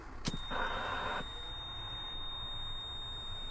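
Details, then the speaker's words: Inside a large tow truck with a dead battery, key turned on before jump-starting: steady high-pitched warning buzzer with a brief chime burst early, no cranking; annoying alarms stop when the key is turned off. "So let's turn that off. All those annoying sounds are gone."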